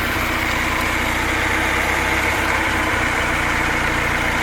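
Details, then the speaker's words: Rat rod petrol engine idling with the carburetor wide open and no choke, where before it would only run with the choke partly closed; it earlier missed on cylinder two from a pulled-back plug wire. Now an even, steady idle with no misses, stumbles or hunting. "carburetor is wide open no choke on it now that's what I had to do before I had to have choke partially closed for it to run"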